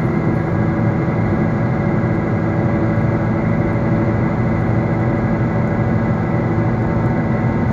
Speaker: it becomes a loud howling sound at some point it may also sound like growling all depending on how much the wheel bearing is damaged